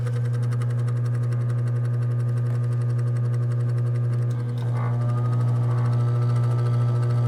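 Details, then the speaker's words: RV air conditioner after new capacitor fitted: loud steady low hum with a fast faint flutter but no airflow; unit runs but fan not blowing, owner unsure if wiring is right. "Is it getting cold? It's not blowing."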